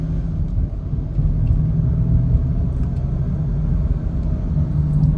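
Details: High-mileage Honda Pilot on the road: low droning hum from the front right wheel bearing with dried-up grease, appearing from about 30–40 mph and louder when steering right; worn front wheel bearing, later replaced.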